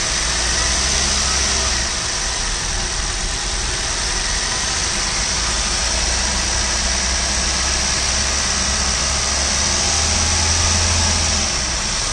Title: I20 Sportz, HR26, Petrol, 2013-2014, Engine noise.